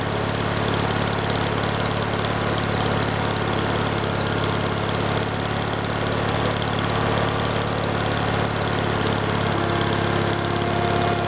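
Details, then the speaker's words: Small engine, the same motor as on the owner's big wheel, first start after sitting a long time, needs choke: loud steady idle with a faint uneven stumble about three pulses a second, a slight misfire. "I'll move you back a little bit over here got a little bit of a misfire in there"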